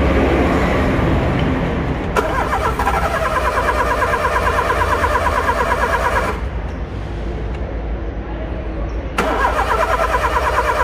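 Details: Car engine on key start: repeated rapid tec-tec clicking, about three a second, comes in bursts as the key is held; the engine never catches. Starter clicking on crank, no start.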